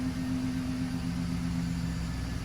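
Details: 2011 GMC Sierra after spark plug replacement; old plugs had widened gaps, check engine light now off. Smooth, steady low rumble at idle with an even beat, no misfire stumble or ticking; idling cleanly.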